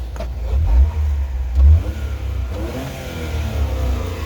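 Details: 4WD Honda Acty Attack mini truck, fresh full synthetic oil, free revving: small engine climbs smoothly through quick blips and settles back without misses or knocks; normal free rev.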